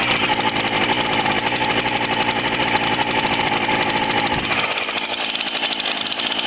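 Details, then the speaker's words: Titan TTL759CHN petrol chainsaw, heavily used (about five to six tons of timber over winter), also hard to start when hot or after refuelling: rapid rattle at high revs sags and roughens instead of holding speed; bogging from incorrect low-speed carburettor setting. "it's only recently it started bogging down a bit it can also be quite hard to start after it's been refueled or it's very hot"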